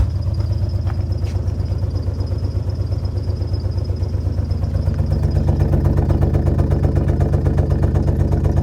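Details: Alfa Romeo GTV V6 started after months parked: deep exhaust pulses at idle with uneven lope, then rising revs; running rough, misfire suspected.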